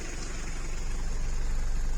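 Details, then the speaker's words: Mitsubishi Delica/Pajero 2.8 diesel at low idle, heard from the cab: lumpy, shaky rumble with rattling vibration that goes away with slight throttle; slack throttle cable to be snugged up to raise idle. "you still tell feel the shaking hear how things are rattling but with this slight touch of the the throttle pedal here listen everything goes away"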